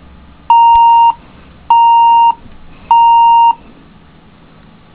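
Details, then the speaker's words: HP DV5 laptop at power-up with RAM in the bottom slot: three long even beeps about one a second; no beep with RAM in the top slot, so the owner concludes the second memory slot is faulty; the screen also stays black. "power it back down so it beeps in the second slot it doesn't beep in the first slot"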